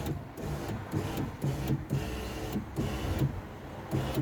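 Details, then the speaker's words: Power window on Project Ruby: the motor whirs in repeated surges with a soft knock each cycle but the glass does not travel. The cable is not broken as first thought; the cable's cam slips through the guide instead of lifting the window. "the cable is still moving around that motor is working this cable is still moving up and down but what's happened is there's a little cam on the cable and that cam is supposed to stop at that guide and it's supposed to bring the window guide up but that cam is somehow slipping through the guide"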